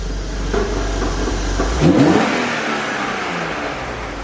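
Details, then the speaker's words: Car that has not run for ages, on couple-year-old fuel, rough idle: engine blips up sharply and drops back fast with no lag. Revs very freely, as if fitted with a light flywheel (suspected, not confirmed). "okay it's almost like it's got a light flywheel there's someone put a light and fly within this"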